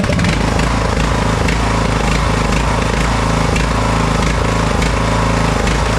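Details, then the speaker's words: McCulloch M195-42T riding mower, 19.5 hp Briggs & Stratton with Nikki carburetor, cold start: steady low drone with a slight uneven pulse, idle hunting before warm-up, expected to stop within about 30 seconds as it warms; engine surging at cold idle. "I noticed that thing is uh it's got a surge to it let's fire it up see let's fire this thing up and I'll show you get that parking brake on all right"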